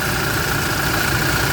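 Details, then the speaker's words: Toyota Hi-Lux after fixing a no crank, no start caused by a ground lost during repainting, now retightened: even idle rumble with a faint steady whistle, no misses or knocks; idling normally after repair. "So so ito ay umaandar na ngayon."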